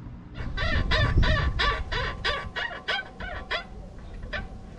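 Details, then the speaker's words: Tesla on smooth straight motorway near Barcelona: rubbery squeaky creaks repeating three to four times a second, appearing suddenly, then fading; suspension creak. "jechaliśmy normalnie na autostradzie w okolicach Barcelony czyli gładka droga prosta i nagle takie skrzypienie"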